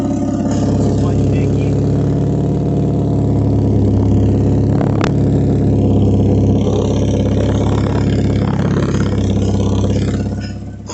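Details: Idling car engine with a small hole in the exhaust: rapid, raspy puffing on top of the exhaust note, an exhaust leak, changing when the hole is covered.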